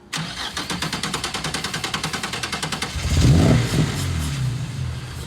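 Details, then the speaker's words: Nissan 240SX drift car with VQ35 swap, sat about six years: quick even cranking, then a brief rough flare on sprayed brake cleaner that dies out; no start from failed fuel pump. "Because you don't hear it buzz. That pump should be louder than fuck. Like it should be really loud."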